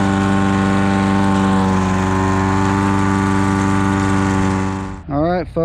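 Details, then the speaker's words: Old Toro lawnmower that sat for years, cutting the yard. A steady, even drone holds speed with no misses or surging, then the engine shuts down. The owner suspects a sticking float dripping fuel. Normal running under load. "that's it the yard is mode and uh that's it that's all it took to get her fired up"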